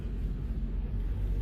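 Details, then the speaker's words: Test drive after replacing front-end parts that clunked and a noisy wheel bearing: only a low, even road rumble with no hum, growl or clunk, so the car sounds quiet and healthy. "I expected no less but should be fine very quiet he said there was a bunch of clunks in the front and the wheel bearing was making noise I don't hear that anymore"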